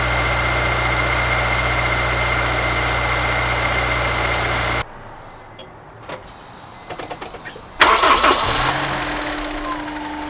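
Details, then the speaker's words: Honda S2000 engine at idle: loud, fast metal-on-metal tapping like a baseball card in bicycle spokes, then restart and settling idle; failing OEM timing chain tensioner letting the stretched timing chain slap. "The best way to describe the rattling sound is like a baseball card in the spokes of a bicycle wheel. In its most noticeable form, it'll be a loud and fast metal-on-metal tapping sound."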